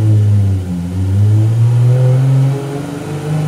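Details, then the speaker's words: 1,300 hp Toyota Supra rat rod on the dyno after replacing plug wires to cure a mystery issue; strong even note climbing smoothly under full load with no stumbles or popping, made 1224: healthy full-load pull. "this sounded good this sounded good 1224 no way"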